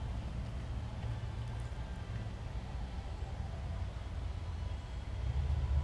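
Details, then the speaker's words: Briggs & Stratton Classic push mower (bagger model) before repair: a low, lumpy putter that never settles into an even beat, a classic stretched carburetor diaphragm, to be replaced with part 795083. "so that's pretty much a classic diaphragm issue"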